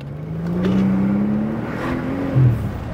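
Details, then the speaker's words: Mercedes CL65 AMG V12 on a rolling pull with the fuel pump hardwired: pitch rises, then stalls and sags as the car drops into limp mode, which happens after about 3 seconds at wide-open throttle. The fuel gauge reads erratically. "it's kind of going crazy kicked us out fuel gaug is going nuts though and we're in limp mode again"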